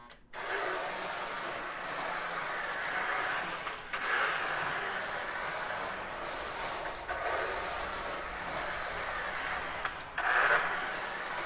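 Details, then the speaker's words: Lionel Navy switcher toy locomotive, a known "growler": smooth, even mid-pitched motor whir with brief pauses at each direction change, quiet at running speed in both directions, slight noise when first given throttle; normal running. "i'd say it doesn't make any more noise than the black army switcher makes so i think that's uh that's a that's a victory right there"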